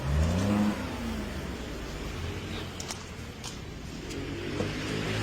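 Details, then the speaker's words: Ford EcoSport revved after re-timing (timing had jumped) and replacing a poor replacement turbo, clatter now gone: engine revs up cleanly and settles back, smooth even note with no clatter or misfire; runs healthy. "So okay na to, babachi na to si Sir. So all good sa EcoSport niya."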